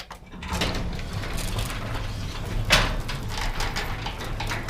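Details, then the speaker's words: Garage door with belt-driven opener after fitting nylon DuraLift rollers: low rumble with light clicks and one sharp clack midway; much quieter, some noise remains, owner suspects door is bowed out. "door still makes a little bit of noise because the doors kind of got some funky issues gonna like bowed out right here"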